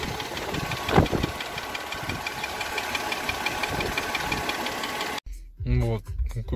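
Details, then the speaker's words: Mercedes W211 with M112 petrol engine at idle: fast, even light ticking from the cylinder head on both sides, growing louder over about a month; recorded before switching to thicker 10W60 oil to see if it goes away. "Уйдет этот цок-цок-цок-цок или не уйдет этот звук."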